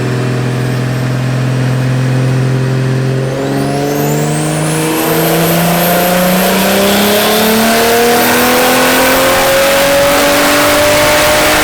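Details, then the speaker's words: 1JZ VVT-i swapped S13 with Garrett GTX3071R turbo on a dyno baseline pull, soft, fat base map, about 11 psi boost: pitch climbs under load, turning ragged; so over-enriched it breaks up, making 209. "we only boosted to about 11 PSI um and it was so over enriched to the fact that it was breaking up which is pretty crazy"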